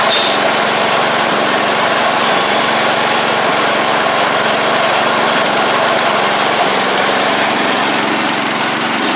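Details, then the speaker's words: 1985 Wheel Horse 312-8 garden tractor, finished after its revival: the small engine runs at a steady, even speed with a smooth buzzing exhaust and no misses or knocks. It runs normally. "Runs, drives, deck works, and can't really ask for much more with these machines."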